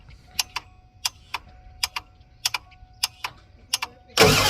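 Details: 1988 Ford F350 7.3 IDI diesel with a new engine, unstarted about a year: cranks with sharp ticks every half second, no firing, loud burst at end. Glow plugs tick when cycled, water-in-fuel light on while cranking, vacuum priming pulls none; owner suspects leak or glow plugs.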